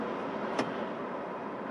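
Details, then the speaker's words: 1989 Ford F-150 after a noisy blower motor fix, fan on low: soft, even airflow whir with a smooth motor hum and no squeal or chatter; the blower runs normally on all speeds. "medium/low off and hi so it works perfectly"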